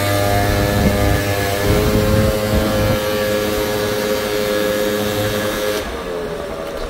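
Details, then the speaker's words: Two-stroke scooter warmed up with choke off: even, steady hum with clean pitch, no spluttering or missed beats; normal warm idle. "nice and cleanly no spluttering no issues"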